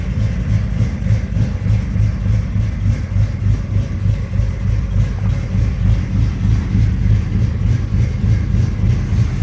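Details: 1983 Chevy C10 step side, 383 stroker V8 installed about 20–21 years ago, cold start before a heater core replacement: deep, even burble at a steady cold idle with regular firing and no tapping or misfire. Normal cold-start idle.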